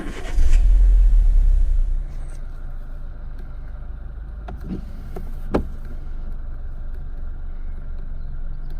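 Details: 2010 Renault Megane 1.6 petrol, 60,000 miles, after replacing the cylinder 4 fuel injector, spark plugs and one ignition coil to fix a misfire; it cranks and catches cleanly, then settles into a smooth, even idle with no stumble.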